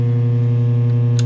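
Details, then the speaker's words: Traynor YCV40 guitar amp with speaker connected, standby button pressed: loud steady low buzzy hum unchanged, amp stays live; standby not muting, a warm FET passing current, other standby circuitry guessed to have failed; unfixed economically. "and nothing's happened at all okay i'm going to turn off a bit of a funny noise come out of it too i don't like that"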